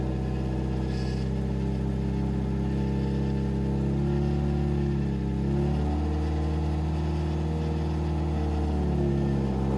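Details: 2007 Subaru WRX swapped to STi engine, break-in run at about 2500-3000 rpm for 15 minutes: steady, even drone at fast idle with no knocking, misfire or stumble; normal running.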